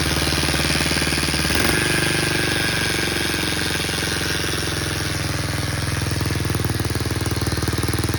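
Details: Baja Motors DR50 (Chinese copy of a 2002 Honda XR50) after engine rebuilt three times: harsh buzz over a rapid single-cylinder idle that goes away with the clutch pulled in; owner suspects a bent kickstarter pawl ramp letting the pawl contact the gear.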